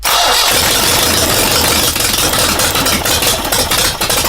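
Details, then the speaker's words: Air-cooled engine with known-good carburetor and distributor borrowed from a motorcycle: ragged uneven running, stumbling and nearly dying, never steady; needs more fuel, only runs when intake slapped; lean from intake vacuum leak. "Only if I slap its intake, it sucks more fuel and tries to work."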